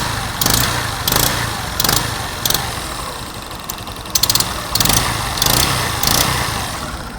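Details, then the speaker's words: Motorcycle idling with sharp hissing puffs about every two-thirds of a second as compression and smoke escape between cylinder head and cylinder; leaking head gasket, to be tightened or replaced. "Cuando tiene un tipo de sonido que ya ven ustedes que le sale humo entre medio del cabezote y el cilindro, ya sabrán ustedes que sería el empaque."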